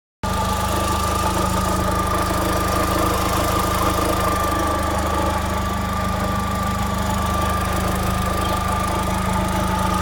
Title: my vauxhall astra 1.6 16v mk4 , weird noise coming from engine. any thoughts of what is it? thanks.